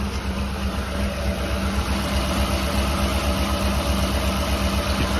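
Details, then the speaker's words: Old Honda, cold, after new plugs, wires and distributor: rough chugging idle at about four lumps a second that nearly stalls off throttle and bucks in gear, a severe misfire; exhaust leak also present. "if you take the foot off the gas it quits or tries to it has an obvious severe misfire put her in gear and it goes to bucking and chugging"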